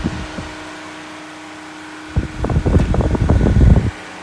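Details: Ryobi One+ 18V cordless hybrid (Whisper) fan; smooth hum suddenly breaks into rapid irregular clattering for about two seconds then settles, something rattling inside; intermittent rattle.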